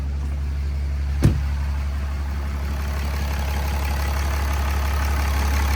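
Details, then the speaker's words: Freshly swapped 6.7 Cummins diesel in 2nd-gen Mega Cab, first run, idling back in shop, not yet fully warmed: deep, steady even rumble, no knocks or misses; healthy idle. "I just wanted to get this initial setup. But that's what she's going to sound like."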